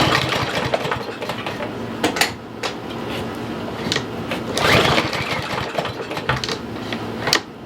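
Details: Troy-Bilt TB110 push mower, 140cc, sat a year under leaves, no primer bulb or choke: a few sharp rope pulls spin it over with no firing at all; fuel smell present, fuel starvation from a gummed-up carburetor.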